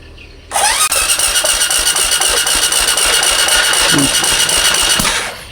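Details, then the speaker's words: Supra X 125 motorcycle, hard to start when cold, new spark plugs, spark normal: even starter cranking with a fast regular beat, about four per second, over a high whine; sounds light, low compression suspected from tight valve clearance before valve adjustment. "Oui, si on le desserre comme ça, la compression est un peu forte, mais si on la resserre comme ça, c'est la compression c'est petit, les amis"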